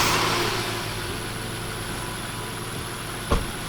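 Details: 1995 BMW E36 325i that sat for a long time: engine holding a fast, steady high idle of around 3000 rpm with a faint hiss, caused by unmetered air through the cracked intake boot between the throttle body and MAF.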